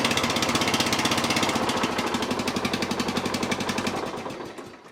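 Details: Lawn tractor's small single engine, after starter relay replacement, runs with an even, steady beat of about four pulses a second, then winds down when switched off; it runs fine.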